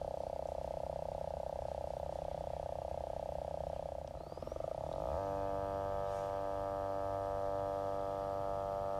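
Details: GVM GT-J80D video slider drive motor, recorded on a Canon S10 camera mic at about 25% speed: steady mid-pitched whine that changes pitch partway through. Noisy motor; owner unsure whether this is normal.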